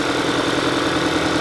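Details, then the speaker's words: 2022 Kia Sorento with check engine light flashing and misfire codes; idle has a steady, evenly spaced stumble on cylinder 2 while the ignition coil shows pulse, traced to a dead injector; cylinder misfire. "it's already misfiring on number two so we're not going to run it very long"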